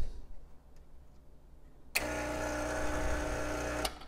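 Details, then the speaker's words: Gaggia Classic espresso machine brewing a double shot, with a quick on-off pre-infusion: steady low vibration-pump buzz starts abruptly, runs evenly about two seconds, then cuts off; normal pump operation. "So I just drop the orange peel down into the glass, and then we'll fire it up and watch it brew."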